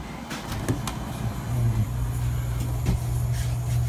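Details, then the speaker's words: Steady low hum from the compressor of a rebuilt True T-49F two-door freezer two minutes after startup, in a roughly 70°F room, with no rattle or knock; quiet and healthy, coil already frosting. "she's already frosted up running just like two minutes feeding sounds good I see that's quiet run in two minutes"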